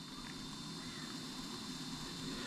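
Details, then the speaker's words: Harley-Davidson aftermarket amplifier with the stock head unit, after fixing speaker pop with a voltage regulator and delay relay. The amp turns on with no pop or thump, only a steady low hiss and faint high tone. "And if you notice, we got no popping. Amplifier is just turned on."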